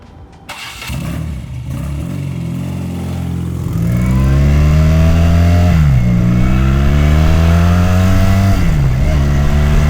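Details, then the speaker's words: Rebuilt BMW R100 boxer twin bobber with revised airbox and shortened gutted factory mufflers catches quickly, settles into a deep even twin beat and rises and drops cleanly with throttle blips: normal start and idle. "I think that concludes it. We'll give it a quick start up so you can see what it sounds like."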